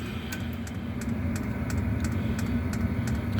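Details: Diesel air heater running from a tapped diesel tank in an insulated shop: steady low combustion roar with a light, even fuel-pump tick about three or four times a second. Running normally.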